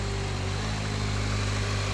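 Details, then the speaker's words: 9th-gen Honda Civic after replacing a bad VTC actuator spring with a hardware-store spring, start-up: smooth even idle with steady low hum, previous knock/rattle gone; normal idle. "hopefully it doesn't make any noise when I fire it up now. So, all right, let's try her out. Hey, way better."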